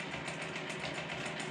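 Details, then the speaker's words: Grizzly G0748 mill after a DC motor upgrade, control box fitted with a 150k potentiometer: a steady motor whir with a faint regular pulse keeps running with the speed knob fully down, when it should stop. "it's all the way turned down it's running it shouldn't be running"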